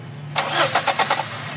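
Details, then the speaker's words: GLI with 4A-FE engine that suddenly died after a test drive: starter whirs with quick cranking pulses but the engine never catches; no fuel pressure, fuel pump has stopped. "tuloy wala walang fuel So ibig sabihin yung pump tumigil titingnan natin yung pump niyan"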